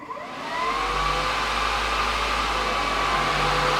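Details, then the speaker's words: Car with new center-mounted 24x9" radiator and rewired electric cooling fans, switched on after battery charge; steady, even, powerful rush of air with low hum, no rattle or scrape; much stronger than old fans, normal fan operation. "Oh yeah, that is so much more powerful than the other fans. I don't know if you can hear how powerful that is, but let's do this."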